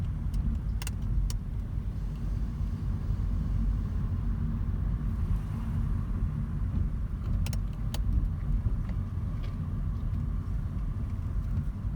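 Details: 2010 Mazda 3 clunking only when turning left over bumps: steady low road rumble with a few sharp, irregular clunks. Suspension clunk.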